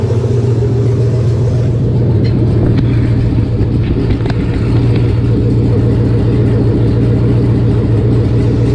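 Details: 1999 Chevy 5.3 V8 4WD junk donor pickup, first run to test the engine: a deep, even V8 rumble holds steady with no knocks, misses or rattles. The engine runs healthy.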